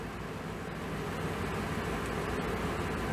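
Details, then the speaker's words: 2006 Ford E450 6.8L V10 after Blue Devil head gasket sealer, warmed up with no thermostat: steady, smooth idle with no misfires, no water from the tailpipe and no coolant use; repair holding so far. "no misfires okay well she's running a lot better there's no misfires"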